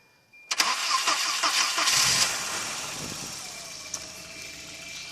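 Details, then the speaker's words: 1992 Volvo 244 four-cylinder: brief crank of a few turns, catches quickly, settles into smooth, even idle; normal start. "Starts right up. It has to crank about maybe 5 times that was. I'm not sure."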